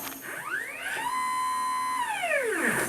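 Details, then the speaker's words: Y-axis stepper on a homemade JGRO CNC router being tuned in Mach3 after an upgrade from an 80 oz motor, acceleration lowered and velocity raised to about 65: whining tone climbs, holds, falls, with rough buzzy slipping, losing steps from excessive velocity. "so the motor is actually slipping and that means that I'm going too much"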